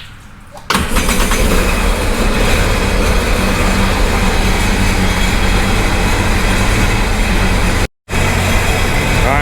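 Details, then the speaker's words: Sea-Doo Sportster/Speedster jet boat after the key and solenoid fix: the starter spins steadily for several seconds with no firing, cranking without starting; owner suspects it is flooded from priming many times. "it's probably so full of fuel because it's been priming so many times it's probably pissed at me"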